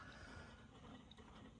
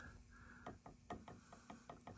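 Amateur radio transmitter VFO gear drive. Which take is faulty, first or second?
second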